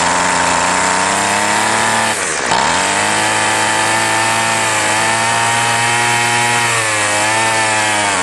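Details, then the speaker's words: Two-stroke weedeater string trimmer started with prime and no choke, carb untouched: high buzzing note bogs sharply once, then recovers and wavers in pitch; running unevenly, plugged carb and fuel starvation suspected. "well this one's sounding like a plug carb kind of so i'll see if it's got mixture adjustment screws first"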